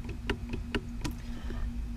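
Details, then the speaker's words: 2015 Subaru WRX shifter after the rattle fix, O-ring/rubber band refitted between pin and notch; soft, muted clicks as the lever moves through the gate, the sharp metallic tick gone, sounding like the other gates. Normal shifter gate click. "That metal sound is now gone, and it pretty much sounds like the other"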